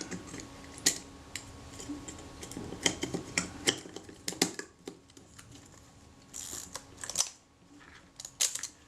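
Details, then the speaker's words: Kodak Retina Reflex (type 025) camera after replacing a tiny broken spring that stopped the film advance locking: crisp light ratcheting clicks as the lever winds, then firm stops, no grinding or slipping; advance now locks normally until shutter fired. "okay the film Advance Works normally we find Wind the film Advance once we can't wind it again without fir the shutter or pressing the film release button"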